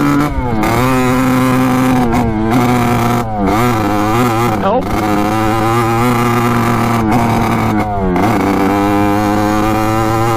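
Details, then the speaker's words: 1986 Kawasaki KX125 two-stroke dirt bike after a new VR8ES spark plug failed to help: revs surge and sag unevenly with repeated stumbles and dropouts; rough running, owner suspects something caught in the carburettor main jet. "so still not running right all right so that was no good um the spark plug did not fix our problem"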